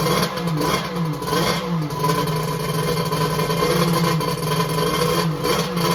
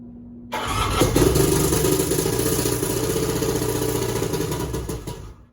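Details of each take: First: X2 two-stroke that had been hard to start, restarted right up: rough wavering note rising and falling with throttle, keeps running without misses; later hot, about 150°F front cylinder, 186°F head; starting fault not fully solved. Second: Three-cylinder 1100 with a hard-starting problem, outer two spark plugs removed: catches at once and runs lumpy and choppy, about four pulses per second, on the middle cylinder only.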